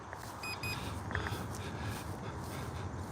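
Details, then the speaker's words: HobbyZone Duet beginner RC plane in flight: two quick high-pitched beeps over the steady drone of the small electric motor and wind. This is the low-battery warning telling the pilot to land. "You hear it beeping? It's telling me it's time to bring it down."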